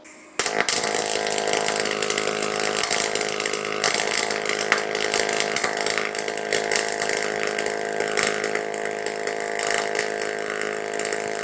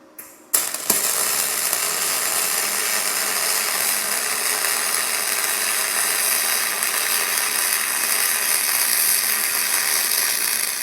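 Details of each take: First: YesWelder DP200 double pulse MIG welder in single pulse mode on 16 gauge steel: steady, harsh electric buzz through the whole weld, no crackle, instead of typical sizzling-bacon MIG sound, from the pulse added to the current; weld did not burn through. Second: YesWelder DP200 MIG welding 1/8 inch aluminum at default out-of-box settings, graphene torch liner and changed drive wheel: arc strikes then smooth, steady hiss with no crackle, behaving more like a spray arc; no burn-through.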